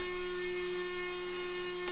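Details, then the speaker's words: Ripple RC seaplane electric motor on a 3S 2650mAh battery at full throttle, drawing about 21 A through a 40 A ESC: a steady, smooth, high buzzing whine. Normal full-throttle run. "and I'm running it up to check the maximum current, and it gets up to about 21 amps."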